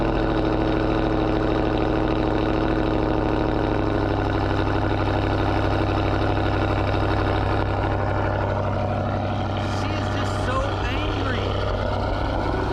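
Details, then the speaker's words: 2020 Dodge Scat Pack on a morning cold start: a deep, loud V8 burble at a steady, lumpy but even fast cold idle, a healthy engine with a loud exhaust. "we're about to go hang out with the fellas and thought we'd start this one off with a cold start"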